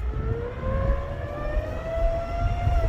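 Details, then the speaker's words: Honda Civic/Acura CSX 2.0L while driving: high whine climbing in pitch as speed rises, still there when slowing, pitch changing with AC on or off. Suspected pulley, tensioner, idler, AC or alternator; not yet confirmed. "The faster I go, the high pitch, the whine that come up. I got the AC on. It changed the pitch of the whine."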